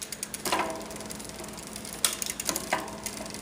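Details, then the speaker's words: SRAM rear derailleur during cable adjustment: a few crisp clicks as gears change with no grinding or rattle, shifting cleanly, though one shift slightly sluggish needing fine tuning. "not hearing any noise as I shift that was a little bit of a sluggish shift there just keep playing with it until you get it just right"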